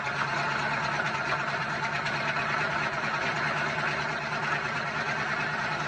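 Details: Dodge V8 truck at idle after all vacuum lines replaced: steady, even deep smooth rumble with no misses, knocks or ticks; engine sounds healthy.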